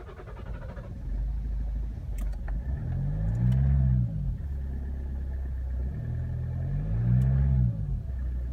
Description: Odpalanie toyoty auris diesel na zimnym silniku przy uszkodzonych dwóch wtryskiwaczach. Długie kręcenie rozrusznikiem, wahanie obrotów i biały dymek po odpaleniu.